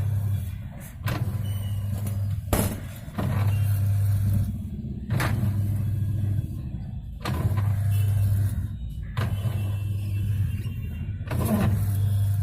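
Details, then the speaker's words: Whirlpool White Magic 1-2-3 650H 6.5 kg washing machine in wash cycle with faulty gearbox (also leaking water): motor hums in agitation strokes about every two seconds with sharp "kat kat" clack at each reversal. "इसका gear box खराब है। क्या बोलते ये हमने अभी देखी, ठीक है। और इसके में कैसा आवाज आ रहा है, कट कट कट कट।"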